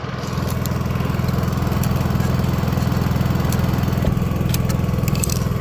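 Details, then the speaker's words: Honda EU3000iS inverter generator after replacing a gunked carburetor that caused stalling off wide-open throttle: smooth, even engine beat at steady speed, very quiet, no surging or stumbling; normal running. "So, when it was wide open, it was running. But now that it's uh got a brand new carb on there, it's it's good to go. And you can barely hear it."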